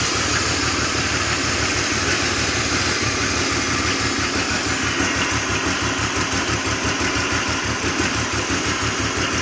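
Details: 2000 BMW 528i petrol engine idling cold with a steady rhythmic knock of about three beats per second; cause unknown.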